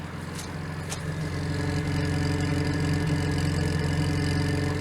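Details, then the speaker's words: 1987 Fiat Panda 4x4 Sisley, ex-farm car, at idle: smooth, even, quiet idle with a regular beat and no knocks, ticks or rattles; engine sounds healthy. "just barely on runs like a beer"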